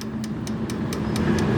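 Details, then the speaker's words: Car suspension, raised on lift, stabilizer bar link rocked by hand: crisp metallic ticks about four per second; worn, blown-out sway bar link knocking, also both shock absorbers leaking oil, customer complained of heavy clunking while driving. "eu sozinho não vou chegar mais perto para ver se eles ouviu cara esse barulho é eu só fazendo a mão sem andando no carro"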